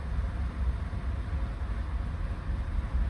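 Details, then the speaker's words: GMC Sierra V8 just rebuilt with cam, first run while burning off residue: deep, even rumble at idle with slight cam rock, no knocks or misses; smooth normal idle. "pretty smooth idle think it's got a Little Rock to it that's about it"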